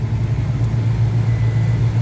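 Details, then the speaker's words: HVAC compressor drawing locked-rotor amps, about 19 A, with correct 204–206 V supply and no voltage drop across the contactor. A deep, heavy, rough pulsing hum; defective compressor, sounds like the motor losing a phase internally; maintenance had been skipped. "I think that we've just got a defective compressor it's an odd issue though because I've I don't know that I've ever seen this one where it sounds like the motor is losing a phase"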